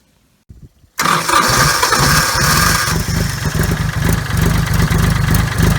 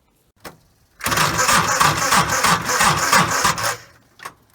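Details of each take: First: 30-some-year-old diesel tractor, hard starter for 15 years, now with starter relay fitted: brief crank, instant catch, steady even diesel clatter at idle for ten seconds before shutdown. Normal start. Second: 30-some-year-old tractor at about 20 degrees, before adding a starter relay: about three sluggish labouring cranks a second for nearly three seconds, no catch; voltage loss in the starter solenoid circuit. Slow cranking.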